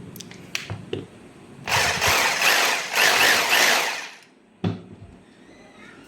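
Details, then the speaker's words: Bosch GBH 2-26 DFR rotary hammer drill, repaired after failing to switch on, with gears cleaned and regreased. Runs a steady, even buzz for about 2.5 seconds with no grinding or stalling; working normally in all modes. "แค่นี้นะครับการซ่อมก็เสร็จแล้วนะครับตัวเครื่องก็สามารถกลับมาใช้งานได้เหมือนเดิมเลยนะครับแล้วก็สามารถใช้งานได้ทุกโหมดด้วยนะครับ"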